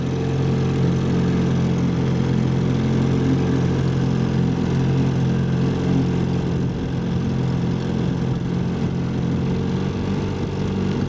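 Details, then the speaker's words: 1958 Johnson CD-15 5.5 hp outboard, restored with new coils, carb kit, fuel lines and impeller; a steady, low, even drone with no misses or knocks. Normal running. "but speed isn't really what the Johnson CD series is about it's really just about getting to your favorite fishing place getting there quietly smoothly efficiently and reliably"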